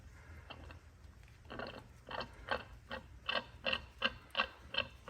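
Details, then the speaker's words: Hydraulic gear pump from a John Deere 3325 winch on a 50-year-old John Deere 450 dozer, turned by hand with a little oil: rough, irregular clicks about three per second and spins too freely; worn-out pump. "I don't know if you can hear that, but that's the sound of a bad pump."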